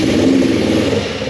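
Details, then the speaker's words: Kawasaki 454 LTD twin after carb cleaning, one needle replaced, other scrubbed and lubricated, mixture screws at 2.5 turns out, not yet adjusted; even putter settling slightly, no stumbling; idles well, running much better than before; normal idle. "now i'm not saying she's running great but she's idling good"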